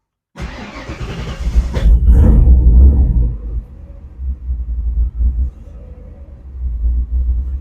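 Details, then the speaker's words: 1987 Ford Ranger truggy with V8 swap, cold start after priming, unresolved starting issues not yet worked on: long starter churn before catching, then lumpy uneven low idle slowly settling; hard cold start. "So go ahead and we will fire it up now. Like I said, cold start. Still haven't worked on none of that yet. Give it a prime."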